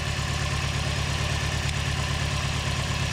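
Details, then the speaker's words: Four-cylinder car, warm idle in neutral, poor exhaust: lumpy idle with a steady stumble about three times a second; pulling cylinder three or four coils changes little, coil swap didn't move it. Misfire from dead cylinder, compression loss suspected. "so you can hear exhaust is kind of crappy but yeah see it's running really rough and then if we pull number four that again there's no change"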